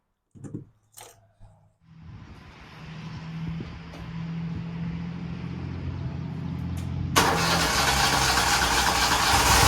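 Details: Toro Z Master zero-turn mower just after its faulty ignition switch was replaced: a few short cranking bursts, then the engine catches and settles into a steady, even run that builds smoothly. Normal start and run.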